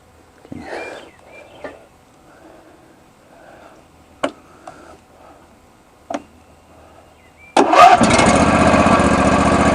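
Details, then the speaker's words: John Deere 22 hp riding mower with dirty terminals treated with Coca-Cola, oil level fine for the low-oil sensor, brake pedal pressed: a few clicks, then it catches at once and runs steadily; normal start. "There we go. That's the way this thing always starts. Good old 22 horsepower."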